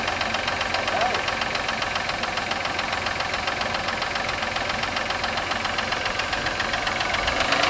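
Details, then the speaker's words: 1996 Voyager petrol engine on its first start in 3 years, after a gas, oil, oil filter and air filter change: idles with a steady, sharp knock about four times a second. Cause unknown. "Doesn't sound good at all. Got a bit of a knock to it."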